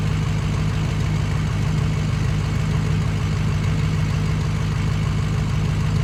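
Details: Ford 6.0 Powerstroke diesel at idle: deep uneven loping beat about three times a second, dead-cylinder stumble; misfire from bad injector in cylinder #6.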